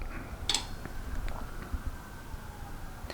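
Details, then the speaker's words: Honda Ruckus-style scooter, self-rewired harness with battery and aftermarket key, first start attempt: two short crisp clicks about three seconds apart; ignition relay pulling in normally, needs a good wire contact. "actually hear it click so I have to twist it together pretty good because it needs a really good contact for that for that relay to go off"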